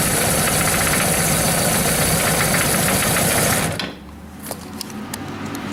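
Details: Suzuki GS1100GK motorcycle: engine idles roughly with a newly developed steady knock, about four beats a second, then shuts off.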